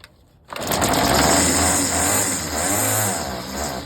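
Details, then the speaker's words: Troy-Bilt TB25 SB straight-shaft two-stroke trimmer, hard starting and low rpm: buzzes hard with uneven, shaky beat under throttle; loose shaft bolts cause imbalance, tightening them improved running. "I think I may have found out the how loose that very loose right here watch out when I give it it's unbal like so"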